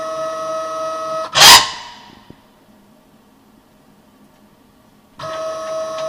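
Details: New KAMI FKM 350 PL machine gives a steady high layered whine while the Y axis travels, stopping when it stops; cause unknown, owner added more oil.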